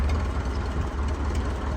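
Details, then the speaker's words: Ford 8N four-cylinder tractor at full throttle held by the governor at 1800 RPM, used as a reference for a Flathead-6-swapped 8N: steady, even low rumble with no knocks or misses; normal governed full-throttle run. "so yeah it's a 4cylinder one but 1,800 RPM is 1800 RPM so that's full throttle and that's what our little six-cylinder buddy over here is supposed to sound like"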